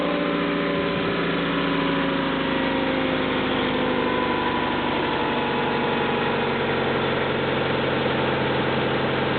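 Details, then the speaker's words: Cold start of a rebuilt Honda F22 SOHC VTEC engine in a junk 1995 Honda Accord EX, odometer 206,000 miles, cold air intake fitted: steady, even idle with a smooth hum and audible intake airflow, no knocks or misses; healthy. "she seems to run smoothly and I can actually hear the airflow through the cold air intake filter"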